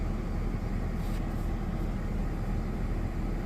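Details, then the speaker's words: Ford FG2 Falcon after P2110 throttle-body code fix: low, even idle under aircon, radio and lights load, no hunting or dips; engine RPM back to normal, about half of the past 3 days' reading; normal idle. "So yeah, it's back to where it should be. Virtually half of what it was doing the last 3 days."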